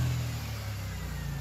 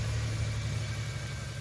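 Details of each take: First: 2000 Toyota 4Runner with failed fuel pump, unrun for a year and a half, running on a fuel vapor system: brief steady, even engine note with no misses after clearing some fuel it had sucked in. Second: 2000 Toyota 4Runner with failed fuel injectors, running on vaporized fuel fed through mass airflow sensor: low idle with uneven lumpy pulse; idle misfire, owner suspects more airflow through MAF may fix it.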